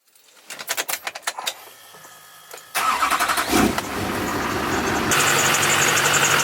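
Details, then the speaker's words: LLY Duramax diesel truck on a cold start: it cranks and starts, then a sharp, repeating serpentine-belt chirp over the idle. It has happened for a couple of years, only when cold, and goes away once warm. "as you guys can hear, the LLY has a nasty chirping sound. I don't know why. It's been doing it for the last couple of years. It really started only doing it when it was cold outside. And when the truck warmed up, it would go away."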